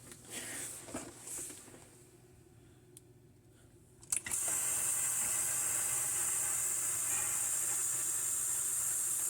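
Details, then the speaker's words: Embraco fridge compressor on 120 V after fixing a vacuum leak rattle, stereo microphones near the suction side: after a quiet start, a steady even high hiss as air is drawn through; normal running. "you can hear this side this has stereo stereo microphones you can hear on this side you'll hear this get less and less as it pulls more of a vacuum"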